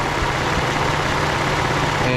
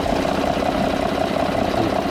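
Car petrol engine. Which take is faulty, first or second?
first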